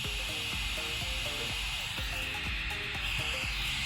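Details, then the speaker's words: Motorola Rokr E1 phone: harsh hiss and clicking crackle over everything the loudspeaker plays, starting when the charger is plugged in and continuing without it; a failing speaker or its drive circuit. "So it makes this really weird clicking or rustic sound when you plug it in."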